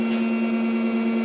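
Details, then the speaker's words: 12-pole drum motor on a custom high-voltage controller programmed for 8 poles, about 569 RPM: steady whining tones over a rough buzzy hum. Wrong pole count, phase and timing make it noisy and low on torque; correctly set, it should be silent. "But and it's noisy. You can hear. See, if the pole is right, those motors are totally silent. But right now it's telling me the phase is not right on it, and the degree is not right, the frequency is not right, the timing is not right on it, you know."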